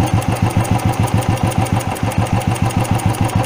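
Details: Carbureted petrol vehicle at idle after mixture screw tuning, throttle idle setting lowered: even putter about three and a half beats a second, steady with no misses or hunting; normal idle, carburetor set correctly.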